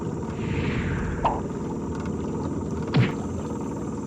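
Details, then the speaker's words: Brand-new Minn Kota 30 lb thrust 12 V trolling motor on a loaded 14 ft aluminum boat, run wide open about 3 mph: steady low drone with two dull thunks about two seconds apart; owner unsure if normal. "I don't know what that thunen is I don't know if it's normal I have no other brand new Mota 30 lb of thrust uras to compare it to"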